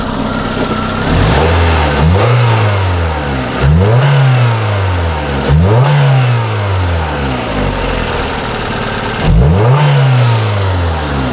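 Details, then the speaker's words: 1994 Toyota Celica with a single ignition coil replaced two years ago: blipped four times from idle, the revs rise and fall with a ragged, stumbling beat; cylinder two misfires intermittently from weak spark. "Now it's not misfiring anymore. I mean, it was bad. What the hell? This stupid car was missing really bad."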